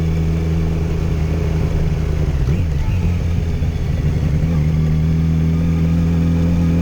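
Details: 2008 Yamaha FZ1 while riding, after an ignition coil swap cured a low-rpm stutter and misfire below 4,000 rpm: smooth, even inline-four drone with no stutter or hesitation at low revs.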